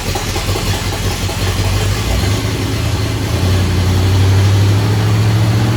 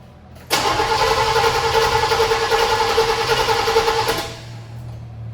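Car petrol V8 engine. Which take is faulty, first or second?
first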